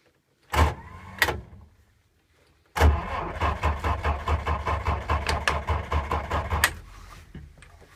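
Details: Six-volt machine: two short starter bumps, then about four seconds of slow, labored cranking at roughly two pulses a second without firing; hard starting.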